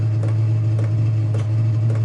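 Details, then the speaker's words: Chinese diesel heater after glow plug replacement, winding up toward top temperature: steady low hum with soft fuel pump ticks about four a second (set at 4 Hz); warm air coming out; normal running. "then it will settle back down to the frequency that I've got this set at which is four Hertz so that's four click to the pump every second pretty much so yeah you can hear it winding up"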